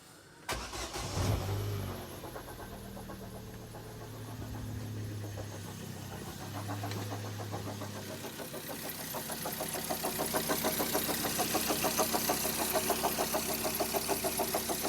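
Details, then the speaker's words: 2010 Vauxhall Zafira 1.8 petrol, 144,000 miles, cracked auxiliary belt: after start-up a steady, loud knock about three times a second at idle, with rubbing; owner suspected rod knock, cause unclear. "it's come in with a knocking sound so first thing we're going to do is we're going to start it up and I'll show you what kind of sound it is"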